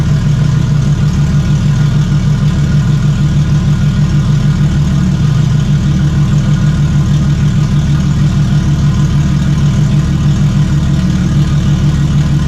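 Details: Stock Toyota 1JZ engine in a Fox Body, first test fire: smooth, even idle with a steady low pulse around three beats a second and no knocks or misses; engine runs healthy.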